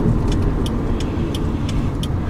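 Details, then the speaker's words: Car rolling through a tight slow parking-lot turn after replacing the noisy CV axle, GoPro recording: steady engine and tyre hum, no front-axle clicking; CV noise cured. "never tell it's better I don't think I need to go very far it was so obvious before"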